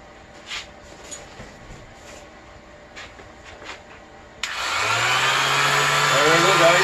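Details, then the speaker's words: Old sheet sander that was jammed, tested with sanding pad removed after dust blown out: a few clicks, then a steady, even motor hum with airy hiss and no rattle or grinding; motor fine, fault is in the worn pad. "now it's spinning very well so we know the problem is on the pad and not with the motor"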